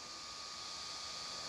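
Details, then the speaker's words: Imalent SR32 flashlight's three internal cooling fans, which cut in automatically at 25,000 lumens and keep running at 50,000: an even airy whir with a thin steady whine, no rattle. Normal cooling fans, not super quiet. "So they're not super quiet. You got 3 fans trying to dissipate a lot of heat on this. So they cut on automatically."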